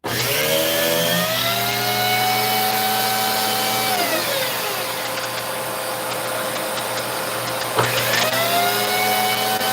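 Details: Vacuum cleaner with a no-power complaint; motor whine holds, sags away around four seconds, then snaps back near eight; power drops out intermittently, with the fault located but not yet where it occurs.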